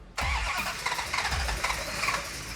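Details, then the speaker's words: '69 Hemi Charger R/T prototype cranked after pumping gas; quick light easy cranking with a few weak puffs but no catch; engine spins too freely, so ignition timing judged retarded (too advanced would kick back); distributor to be advanced. "Okay, I think it needs more timing. When you hear an engine crank so easily and it doesn't quite want to fire, most likely the timing is in a retarded position, because if it was too far advanced, it would kick back at you."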